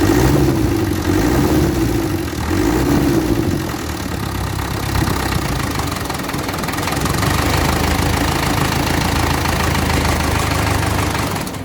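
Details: Land Rover Series 3 diesel, first start after stop adjustment: clattery, slightly lumpy idle holding steady without stalling; spill pipe and washers leaking, radiator holed.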